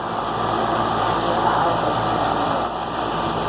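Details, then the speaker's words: 2004 Armstrong Air AC condenser after replacing a bad 50+5 µF capacitor, fired back up: steady, even fan rush over a smooth compressor hum, no chatter or buzz; running normally. "so it's fired back up now I'm gonna let it run for a little while"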